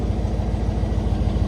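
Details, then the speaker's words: Chevy manual pickup restarted warm after driving, known for smoke and oil burning: fast, deep idle pulsing with uneven, lumpy strength beat to beat; rough idle, owner suspects PCV valve problem, unconfirmed. "it started rough. Shouldn't be doing that, right? So, um yeah, pretty sure we got a PCV valve problem."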